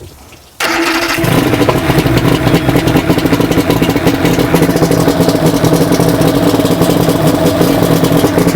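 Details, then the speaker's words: 2000 Johnson 90hp two-stroke outboard, first start of the year after plug and fuel filter service, manual choke, in neutral: cranks briefly, catches and settles into an even burble; some smoke from heavy winterizing oil; runs normally. "All right, we do have a little bit of smoke. Look at that camera person getting smoked out. That's because of the oil from when we winterize it. We put heavy oil in it. But everything's running good. It's idling nice."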